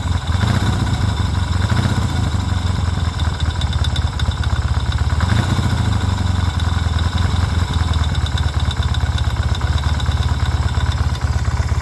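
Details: 1972 Yamaha XS2 650 twin, about 10,000 miles, idling upright on centre stand (quiet on sidestand); cam chain tightened (slightly better), valves adjusted to spec; lumpy idle with busy metallic knocking clatter, source unknown.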